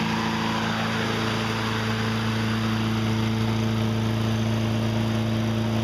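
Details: Toro 20074 electric-start push mower that spun over with no spark, after freeing the kill bracket for full range of motion: catches and holds a steady, even drone with no misses or surging. Runs normally.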